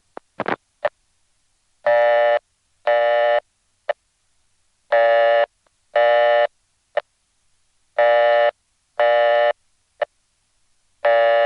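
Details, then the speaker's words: Long Island crossbar 5, downstate New York: a dialed code that was never wired terminates after seven digits on this tone, paired half-second tone bursts with a short click between, repeating about every three seconds. "so that's a code that hasn't been wired and it just ends up timing out to a reorder"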